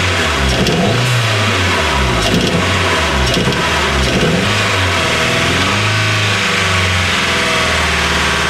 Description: My nova turbo has a misfire. ITS FOOKED!!!!